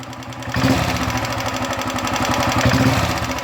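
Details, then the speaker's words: Royal Enfield Bullet 350 Electra single at idle after cleaning and refitting: steady tak-tak tapping that speeds up and slows with engine revs, lighter than before repair; worn part found. Valve tappet noise. "जो टक टक टक टक टक आवाज आ रहा है इसमें इंजन के साथ अगर इंजन फास्ट कर रहे है तो फास्ट आवाज आ रहा है स्लो कर रहे तोलो आवाज आ रहा है बट अभी पहले से कम आ रहा [संगीत] है"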